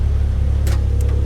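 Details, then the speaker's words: Long-sitting car that fired right up, holding a steady, even low idle rumble with no knocks, misses or ticks; owner says it sounds healthy; normal idle. "yeah, she idles, sounds healthy."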